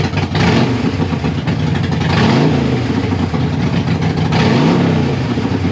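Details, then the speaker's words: Harley-Davidson Sportster idling and blipped after replacing a leaking front exhaust gasket (leak appeared after 1900 miles in 4 days): loud, lumpy V-twin idle rising smoothly with throttle, no puffing or ticking leak; still loud but much better. "it's still loud but it sounds a hell of a lot better"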